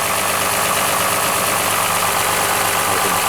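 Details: Lexus RX 330 with 3MZ-FE V6, uneven running: rough, uneven idle with loose irregular knocking under a harsh roar; worn rings and glazed bores in a tired engine.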